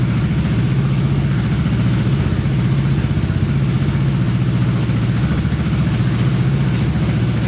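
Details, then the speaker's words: Honda Big Red ATC 200 (200cc) three-wheeler, barn find sat over 6 years, carburetor reinstalled and since stopped leaking: steady, even low thump with clean rise under more throttle, no misses or knocks; normal idle and revving. "I'd say she runs pretty good. Carburetor stopped leaking."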